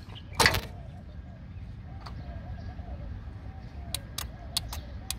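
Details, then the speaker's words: 12 V car horn relay: sharp dry ticks, then a rattle as the relay is pulled. The relay contacts are not welded; its coil gets power because the horn switch is stuck closed, so the horn keeps sounding. "this clicking sound is coming right from the relay it means that this switch is somewhere close and this relay is getting power"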